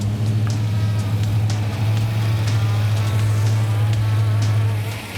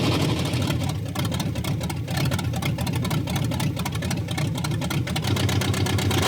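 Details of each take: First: 1961 Pontiac Bonneville V8 with Turbo 350 swap, first start after rebuild, warming up with electric choke working: steady, even low rumble, no knocks, misses or ticks; normal running. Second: Barneville's engine at its first run, before the full exhaust is fitted: lumpy, stumbling idle with missing pulses, said to be running on 4 cylinders and sounding terrible; misfire, cause not confirmed.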